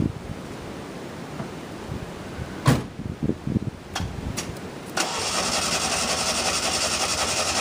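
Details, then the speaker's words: 1988 Yugo GV after restoration, engine and transmission reinstalled: uneven cranking and clatter, then it catches and settles into a steady even run; starts and runs fine. "it's alive the engine's in the trans is in about 95 percent of the vacuum lines are hooked back up and it runs"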